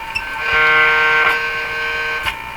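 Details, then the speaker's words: 1940s RCA Victor A23 AM/shortwave tube radio, first power-up on restricted 92 V supply: steady buzzy nasal toot for about two seconds over faint hiss in audio output; new noise, source undetermined. "new in my house making that sound now I don't think I've ever heard that particularly noise"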